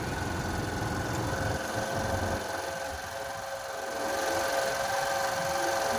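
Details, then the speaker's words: Suzuki Access 125 BS6 scooter just started after fitting a new idle adjuster body: busy fast idle buzz that sags then climbs back, engine racing, idle needs manual lowering by tightening the adjuster. "ఇప్పుడు చూసారా బండి racing లో ఉంది ఇప్పుడు manual గా మనం slow చేసుకోవాలి okay"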